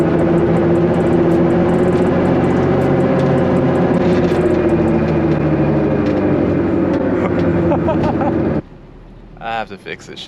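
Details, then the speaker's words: Honda S2000 while cruising, before axle, hub and wheel bearing swap: constant low droning roar like an airplane on the runway under road noise and music, audible even with loud radio; worn wheel bearings. "it should sound like an airplane like we're on the runway about to take off this is driving me crazy"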